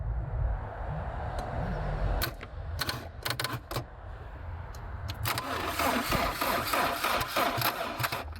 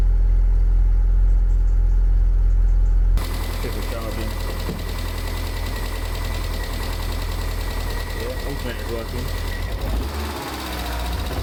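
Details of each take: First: Abandoned, long-stored Land Rover Freelander, out of gear, power jumped, suspected immobilizer issue: a few sharp clicks then steady cranking about three turns a second; engine turns over freely, not seized. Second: Abandoned, long-stored Land Rover Freelander, first start with fuel pump bodge-wired to 12 V and no coolant: engine catches and runs rough, regular knock about four times a second over idle; cause unknown, shut off quickly.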